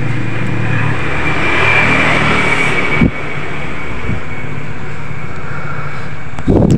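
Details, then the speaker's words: Honda Vario 125 scooter after a repair for a fuel pump that wouldn't hum and lost ignition, ECU in mode one: the small engine runs steady and picks up cleanly with no hesitation. Throttle response is normal. "Guys Alhamdulillah ya untuk motornya sudah normal ya kita gas udah responsif ya untuk gasnya nak delay"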